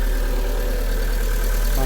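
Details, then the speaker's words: VW Gol 1.6 that stalled after a speed bump, running after the car's own battery replaced a low work battery: steady, even low idle with no misses, knocks or hunting; normal idle. "Ahí encendió. Correctamente."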